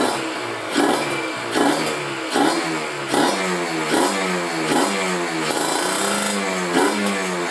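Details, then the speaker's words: Kawasaki Ninja RR two-stroke with PWK30 carb re-tuned after fitting a ground ("kabel setan") wire: repeated quick revs about every second climb cleanly and drop back with no hesitation or bogging, now responsive where it previously hesitated. "enak banget, jadi responsif ya. Jadi nggak gas duluan terus ngok-ngok. Kemarin ada ngoknya, kalau sekarang udah lebih oke, lebih enak."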